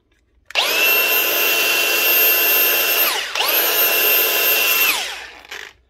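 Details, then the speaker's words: Milwaukee M18 ONESAG115XPDB brushless grinder after replacing failed bottom rotor 605 bearing: clean high spin-up whine, steady, smooth wind-down with no rattle or grind; runs like new. "sounds like new that's how you fix the Milwaukee grinder with a notorious bad bearing"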